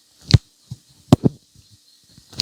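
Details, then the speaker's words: Samsung Galaxy Z Flip 6 inner display folding closed from fully open: a few short, dry crackling creaks, one per fold. Owner fears the glass bends too far; no previous foldable did this; cause unconfirmed. "every time I go in it makes this like creaking noise that that the glass is like kind of bending maybe too far"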